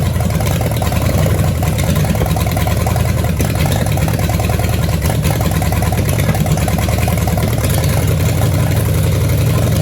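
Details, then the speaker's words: 1966 Chevelle small-block Chevy V8, barn find, first run, timing eyeballed, spark plug wires had been wrong: deep lumpy idle with uneven stumbling beat, misfiring; owner suspects a vacuum leak at the carburetor with broken bolt. "All right, she's running pretty bad. I mean, she fired, but yeah, I don't think she's firing on all cylinders."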